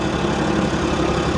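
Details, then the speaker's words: Ford Mustang convertible (2008 per title, 2006 as said aloud), V6 at idle, auction preview, full of oil: a steady idle with a light, fast ticking chatter; unclear whether it is an accessory pulley or top-end chatter. "guys I can't tell if that's an accessory pulley or if that's that's like a top end [Music] chatter"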